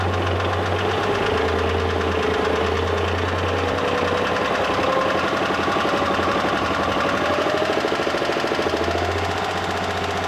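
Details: Mitsubishi Pajero III with 6G74 3.5 L GDI petrol V6: running with a fast, uneven ticking knock about three per second over the engine note, source not pinned down; engine knock.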